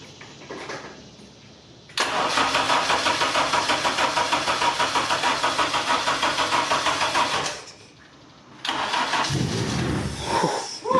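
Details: 1996 Mazda MX-5 Miata with Honda K24Z3 swap on first start: starter churns about three even turns a second for five seconds, never catches, cranks again; followed by a backfire, flood clear planned.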